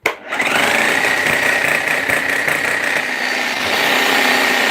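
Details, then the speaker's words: Bosch GSH hammer on repair bench, grease leaking from the tool holder: spins up to a steady high whine with a rough, uneven rattle underneath, sounding dry; seals gone and grease worn out, needs a service. "so that's a service seeds are gone and the grease is worn out basically"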